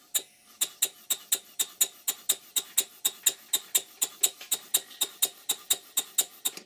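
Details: Stuart 5A model steam engine after fitting a gasket and bolting the bearing top cap back on, connecting rod small end still sloppy in the crosshead: crisp, even puffs about two per second with no knocking; normal running.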